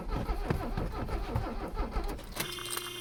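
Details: Abandoned Mercedes 300CD diesel on ether without air cleaner, battery nearly dead: uneven labouring crank with rough chuffing beats that never catch, then stops; no-start, owner rules out air supply and suspects low compression.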